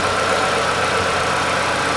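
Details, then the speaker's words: 2008 Chevrolet Lanos after thermostat and timing belt replacement and antifreeze refill: the alternator belt chirped briefly at startup, then a smooth, even idle with a steady hum and no ticking, knocking or belt squeal. "ремень генератора маленьких активным все у нас работает все замечательно"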